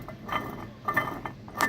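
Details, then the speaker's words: Old water pump removed from a Pontiac Fiero, turned by hand: rough metallic grinding, scraping and clicking, no bearings left, pump completely shot. "a metal grinding against metal there are no bearings or anything for it to right on left the pump is completely shot"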